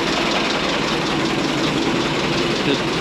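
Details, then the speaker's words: 1927 White dump truck started after 20 years idle, on the starter after a carburetor fuel check: smooth, even idle with a steady rumble and no knocks or misses; sounds like new, 28 psi oil pressure. "what do you think Grandpa sounds like new it sounds like new"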